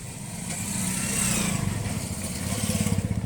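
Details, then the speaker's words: Volkswagen Jetta with EPC light and codes P1579, P1545, P1558 starts but idle surges, RPM revving up and down unstably in a slow uneven cycle; throttle body suspected, throttle basic alignment previously not carried out. "Today got a problem with Volkswagen Jetta. It will start and it will keep revving up and down. The RPM is very unstable."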